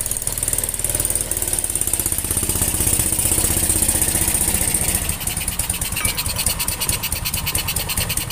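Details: Yamaha Jupiter Z / Vega ZR-type single-cylinder motorcycle after repair of a rough, ticking engine: steady running with a quick, even beat and light tappet chatter, no harsh knocking; sounds acceptable.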